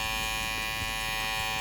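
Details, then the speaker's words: Kime 1900 86 hair clipper with a harsh, steady, high-pitched buzz, much louder and rattlier than normal. It had been fixed before, but the noise returned; the planned fix uses tissue. Cause suspected, not confirmed. "Coba kita dengarkan suaranya nah sangat berisik sekali ya teman-teman sangat mengganggu kenyamanan"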